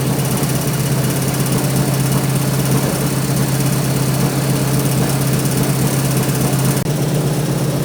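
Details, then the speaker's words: 1970 Ford Mustang Mach 1 V8 with new cam, won't run right during cam break-in, tap in the bottom end: rough, loud running with a dull irregular knock about three per second; rod bearings later found slack and hammering; rod bearing knock. "we just can't get the freaking thing to run right it's just doing all kind of crazy stuff it's got a tap in the bottom end or somewhere"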